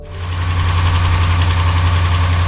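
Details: Ram 1500 5.7L Hemi at idle: a quick, sharp ticking keeps pace with the engine, likely an exhaust manifold leak.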